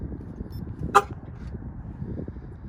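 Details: 2005 Silverado with newly installed Viper remote start and alarm; one short sharp horn chirp over quiet outdoor background as the truck locks via remote; normal alarm lock chirp.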